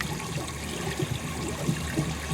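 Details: Pool pump with water level lowered for closing: steady splashing gurgle and bubbly trickle over low pump rumble; water falling into the skimmer, pump drawing air and losing prime.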